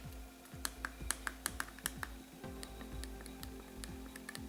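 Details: RG35XX SP handheld after Kapton/masking tape button fix: sharp, irregular plastic clicks with each press over faint background music; buttons still loud and clicky, tape made little difference.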